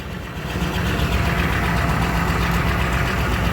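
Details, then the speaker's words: Truck "Blue" idling smoothly and steady with no misses or ticks right after fuel filter replacement, fuel pump primed three times before start; running like a top, then checked for fuel filter leaks. "three times and there he is he running like a top"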